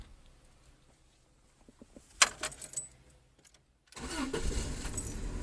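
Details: 1996 Subaru Legacy with a no-crank fault, started by using a remote starter switch at the solenoid together with the key: a short crank, then a steady idle; neutral safety switch suspected.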